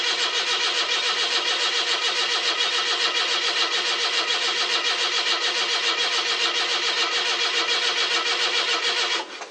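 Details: 42-year-old carbureted car with old mechanical fuel pump, cold start: starter churns about three and a half beats a second for many seconds, never catching; dry carburetor, fuel starvation, oil pressure present.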